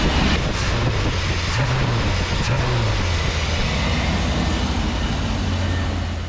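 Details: 1988 Chevy C30 wrecker after a throttle body rebuild, cleaning, new line O-rings and a new belt; it catches and settles into a steady, even low rumble that eases slightly at the end, running smoothly, normal run after repair.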